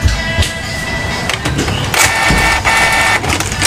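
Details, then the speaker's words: Canon iP2770 printer, error 6000 with alternately blinking lights, after mechanism repair: carriage now travels back and forth with smooth whirring and soft mechanical bursts, no "tektek" clicking lockup or error at power-on; running normally. "ini sudah jalan katrdnya ya Kalau tadi begitu dihidupi Bu ada suara tektek gitu langsung error nah ini sudah bisa jalan katriitnya ya"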